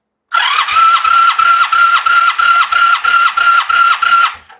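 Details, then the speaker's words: 1985 Honda Sabre V65, cylinder 3 compression test on the starter: even cranking, about three compression beats a second over a steady whir, no hesitation; reads about 185 PSI, likely raised by fogging oil. "Yeah, that's showing like 185. So again, that's oil in the cylinders, definitely."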